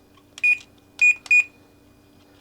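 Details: Frigidaire oven with repaired 318010300 control board, setting clock: three short clean high beeps, one per button press, over faint hum; normal key feedback, though one clock button later works only when pressed very hard.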